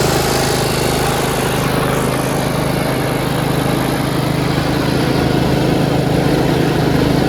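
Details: Yard Machines 38" riding mower, 13.5 HP Tecumseh, after fixing slow cranking and no-start: a single cylinder runs steady and even at a constant fast beat, with no misses or surging. Normal running, charging at 13.5 volts.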